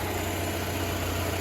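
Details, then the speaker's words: 2009 Nissan Altima 4-cylinder after no-start diagnosis, starter energized with Power Probe and MAF and idle air control codes cleared: steady, even low hum, no knocks, misses or hunting; normal smooth idle. "now no issue starting starter sounds fine the vehicle itself sounds fine"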